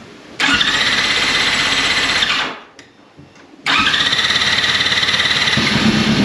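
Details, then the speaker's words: 2004 Yamaha R6 after flipping over in a wheelie, probably on starter fluid: engine fires and revs about two seconds, dies, catches again, won't keep running; owner suspects old bad fuel in the line, needs draining. "Okay. Probably just running on the starter fluid. Really fine. Speak English. Got to get that old fuel out of the line and"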